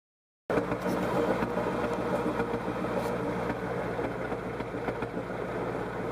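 Uneven, lumpy idle with an irregular stumble in the exhaust beat, roughly three to four per second; sounds like a misfire.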